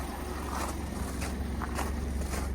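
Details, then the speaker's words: Crashed 2020 Jaguar F-Type (X152) salvage rebuild, first start on old battery, no coolant, no air mass sensor fitted: low rumble with uneven pulsing, lumpy unstable idle; owner suspects missing air mass sensor causes it. "Sounds a bit lumpy. Sounds very lumpy, but I think sounds lumpy because there's no air mass sensor on this."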